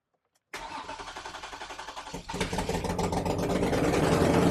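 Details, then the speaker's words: Toyota 2GR-FE engine swapped into MR2 SW20, first start just after fuel plumbing: cranks about four per second, catches near two seconds, then revs unevenly and lumpy when cold; owner suspects missing oxygen sensors, no code stored yet. "all right she doesn't quite sound right but I don't have any oxygen sensors right now so I suspect that's the issue"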